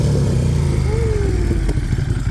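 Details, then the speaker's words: 2017 Moto Guzzi Griso 1200 V-twin, redline 8,000 rpm, heard at exhaust after clutch repair: deep lumpy pulse swells through a quick rev and settles back cleanly, no knocks or rattles; very torquey. Healthy revving exhaust note. "Look at that. Red line's at 8. Very torquey bike."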